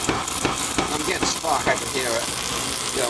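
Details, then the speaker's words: Old oil boiler burner running on diesel, restarted after no-heat call in freezing weather: steady harsh crackling buzz of healthy ignition spark; nozzle issue suspected as the cause, new nozzle being added. "we're getting spark. Alright, so we're gonna add nozzle. Oh yeah, you're getting spark alright."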